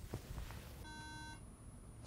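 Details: MacBook Pro A1286 at power-on: a single beep repeating every five seconds, the RAM error warning; both RAM modules tested good, fault traced to the second RAM slot on the logic board.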